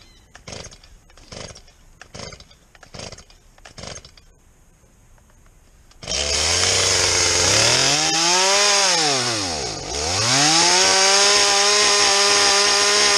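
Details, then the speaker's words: Chainsaw that was never submerged, started as a reference for a normal saw: a few pull-cord rips, then it fires and runs with a high buzzing note that climbs, dips and recovers cleanly; healthy normal running. "this one hasn't gone underwater at all so it should start fine like a normal chainsaw and then I want to show you what it sounds like to start a normal chainsaw"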